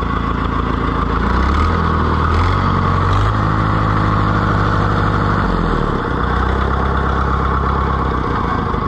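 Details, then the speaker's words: Oliver 1450 diesel tractor just after its first oil change in years, started with a boost: throbs evenly, revs up and settles without stumbling or knocking, no smoke, good oil pressure, running better: normal running. "I think little Freddy's running a lot better and I don't even smoke laughs I think that old oil needed to go"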